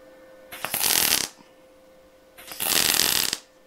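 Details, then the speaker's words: MIG spot welding a butt joint on car-body sheet at 60 A, voltage raised to 17.5 V and inductance raised from 3 to 4: two short, even crackling bursts with quiet gaps. These are well-set welds, aimed at lower, wider spots. "Alors, là, comme tu peux voir, on était en bord à bord, toujours pareil, avec 60 ampères. Par contre, j'ai augmenté. On était tout à l'heure à 16 volts 5, et là je suis passé à 17 volts 5, et en inductance on était à 3 tout à l'heure, et là je suis passé à 4."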